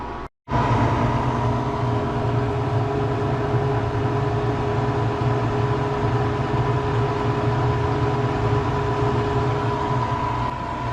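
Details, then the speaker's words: Harvest Right freeze dryer starting its cooling phase after boot-up self-tests, loaded with chicken pot pie and peas, drawing about 5 amps off-grid; after a short pause a steady low constant hum starts and holds evenly, compressor cooling normally. "The freeze dryer starts booting up, does a bunch of tests, push the start button, and as you can hear, it's starting to cool."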